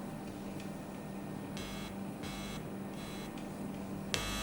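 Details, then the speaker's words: Computer speaker setup without an audio isolator: steady low electrical buzz with a faint hum and bursts of hiss when the metal of the 3.5 mm plug is touched by hand. Body-induced signal is carried through the cable to the speaker. "when I touch the metal part of the 3.5mm plug you can hear a strong electrical Buzz this is mainly because the electrical signals induced by my body are being transmitted through the cable to the speaker"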